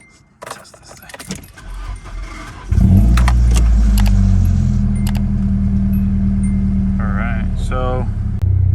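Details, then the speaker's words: Thirty-year-old Nissan just fitted with new O2 sensors: keys jingle, engine starts into rough uneven misfiring idle with brief belt squeak up front; starter also starting to fail. "probably just heard a bunch of weird noises, but anyways, I got belt squeaking up front. I've got starter wanting to take a crap on me, and this thing's misfiring. So I can still hear it misfiring."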